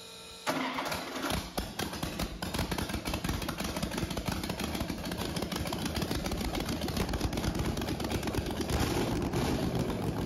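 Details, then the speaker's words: 1969 Pontiac 350 V8, low compression, mild cam, first start on a dyno after purchase: cranks then catches into an uneven, lumpy idle with irregular stumbling beats; at least one dead cylinder misfiring. "as we can see from our Flames it has at least one bad hole the question is can I fix it"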